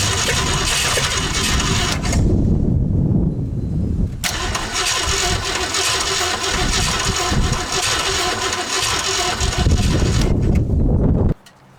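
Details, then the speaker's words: 1968 Ford LTD, unstarted for over 35 years, carbureted, with a dead accelerator pump giving no fuel shot: long steady cranking at about four beats a second with no catch, then silence; cranks but won't start from no fuel. "I don't know that we're going to get much luck with no accelerator pump. Literally getting nothing."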